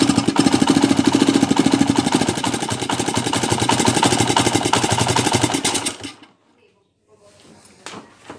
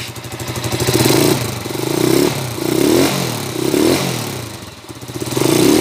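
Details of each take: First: TMX 155 single-cylinder left for overhaul for a noisy engine, before repair: loud, rough clatter of knocks over the exhaust beat at idle before shutting off. Engine knocking noise. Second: TMX 155 single after overhaul for a noisy engine: repeated throttle blips rise and fall cleanly with no knocking; knock gone, engine quiet, though carburetor tuning is still somewhat off. Normal engine running.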